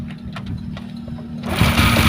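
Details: Honda Wave 125i fuel-injected motorcycle: low idle hum, then a harsh clattering rush as the engine picks up; cam timing chain very slack, chain tensioner rubber roller cracked so metal hits metal, causing chain slap.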